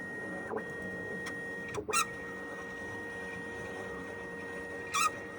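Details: Bambu Lab 3D printer after cleaning and lubrication sounds unusual: steady hum with a thin constant tone and brief whirring bursts on moves; full recalibration resolved it.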